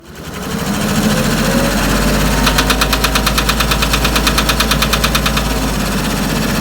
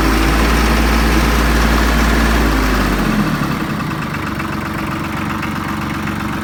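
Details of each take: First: Branson 3520h diesel tractor at idle: steady rapid tapping over the low drone, like valves slapping; suspected valves needing adjustment, dealer thought rockers or valve hitting piston; before pulling valve cover to adjust. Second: Branson 3520h tractor diesel after a valve adjustment for tapping/slapping valves. It idles with a steady, even beat that settles lower after a few seconds, with no tapping; fixed and healthy.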